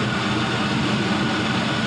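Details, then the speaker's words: 5.3L Gen 3 LM7 V8 with 180k miles, LS7 lifters and new Melling oil pump, idling just after a near-cold start on a 104°F day with about 42 psi oil pressure: smooth, steady low hum with no ticking, knocking or misses; normal idle. "We're going to run this up to temperature, so we'll cap that off. But as you can see, it runs very smooth,"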